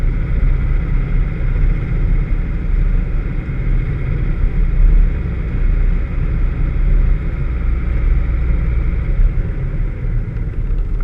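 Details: Vauxhall VX220 at 3 Sisters Circuit: steady, deep engine drone under track load with a rough, uneven undertone; individual dropouts are not clearly picked out. Engine misfire.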